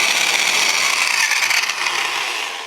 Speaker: I have this Milwaukee polisher catalog number 5460, and it's making a bit of a noise up on the head of this thing. I don't know if it's just dry or I've got something going bad, but listen to it.